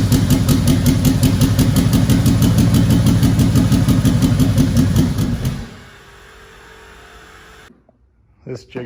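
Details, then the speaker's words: 2004 (or 2003) Mustang Mach 1 with a possibly built MMR engine, twin turbos, full fuel system and 4R70: a lumpy, stumbling idle for several seconds before shutting off. It misfires for an unknown reason. "right now it has a misfire unknown reason why I think the motor's built"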